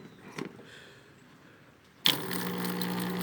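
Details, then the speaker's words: Consul CWL75 7.5 kg washer that would not spin or drain: the drain pump, wired straight to the mains after a child's sock was removed from it, runs with a steady buzzing hum and slight rattle. It is a bit noisy but working normally. "ó, funcionando perfeitamente. Um pouquinho barulhenta, mas está funcionando, ok?"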